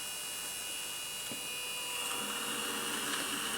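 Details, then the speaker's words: Innocraftsman mini drill press drilling plastic: steady high motor whine with an even pitch, no chatter or bogging; it cuts a clean hole with no chipping. "And it's making a fine hole."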